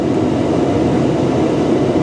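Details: 2013 Tesla Model S P85 cabin heater blower at full output after replacing blower motor resistor and DC/DC converter, vents reaching about 136 °F: steady, even rushing air with a low hum, no rattle or squeal; healthy.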